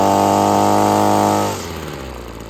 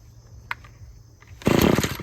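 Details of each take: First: Husqvarna two-stroke string trimmer after the line was cut from a 28-inch to a 20-inch span, carb not yet tuned: high, steady scream that then winds down to a stop; revs higher than with the overlong line. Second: Husqvarna string trimmer after freeing a sticking trigger and adjusting the carburetor: sharp clean high-rev scream with steady firing, string whistling, no stumble; now running right.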